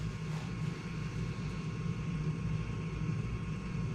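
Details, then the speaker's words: Furnace gas valve vibrating while the system runs otherwise well: a steady low droning buzz over a constant hum with no rhythm; the valve needs replacing. "this valve right here is vibrating making a noise let's pause them yeah the thing runs real good it's a good system that it just I don't know what that is"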